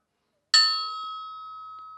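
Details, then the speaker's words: Porsche 356 SC engine rebuild: the counterweighted crankshaft hangs on a string from a drill press and gets one hammer tap. It gives a clear bell-like ring of about 1280 Hz that fades slowly, so the crank rings true. "with my hammer. It makes that ringing sound. 1280 hertz."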